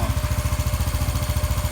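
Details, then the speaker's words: Honda Biz 125 motorcycle engine after repair of a noise caused by connecting rod play: even, steady beat at about twelve pulses a second, quiet when revved, no tapping or knocking; normal running. "você visualiza como tu tá bem caladinho tá bem caladinho se você viu anteriormente aí no começo do vídeo como estava E como tá agora bem caladinho de acelerar"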